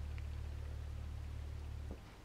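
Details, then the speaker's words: 1950s ElectroVoice 18WK woofer on sine sweep around 36 Hz: deep loud tone with buzzy rattle, worse at this frequency, then cuts off; voice-coil rub suspected; pinhole leak in surround. "pretty clearly 36 still have a lot of output but the rattles a little bit worse"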